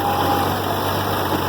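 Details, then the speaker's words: International Harvester Farmall 706 diesel tractor idling after its filter screen was cleaned: steady, even idle with no oil pressure light and no power steering pump whine; the previous whining is gone and the tractor sounds healthy. "I have no oil pressure light which is a good thing I have no gravy whiny power steering which is also an really good thing"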